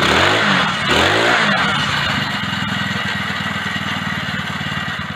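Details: Four-stroke engine motorized bicycle, after new transmission drive belt fitted, first start in weeks with a little choke: catches after a couple of rising revs, settles into even, regular putter; normal running.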